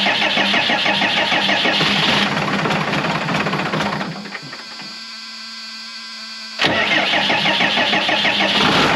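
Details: Cummins 6BT in old Oshkosh plow truck, first start in 10+ years, coolant not yet filled: starter cranks, engine fires and holds an even diesel clatter; clean start and healthy idle.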